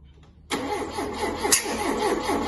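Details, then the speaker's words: Ford Mk2 Capri 2.0 GT Pinto engine, long unused, with new distributor: spark confirmed and firing order 1-3-4-2 checked, but steady even cranking never catches while the distributor is rotated by trial and error; no-start from incorrect ignition timing. "okay we know we're getting spark however it doesn't seem to want to play ball"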